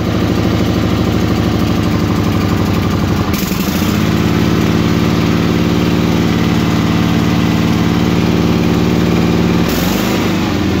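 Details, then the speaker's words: Suburban garden tractor twin on a cold start with choke on, chugging unevenly and wanting to shut off before settling to a steadier lope; cold-blooded until warmed up; rough idle when cold. "but this is a cold cold start yeah let her get wet and then she's fighting she wants to shut off"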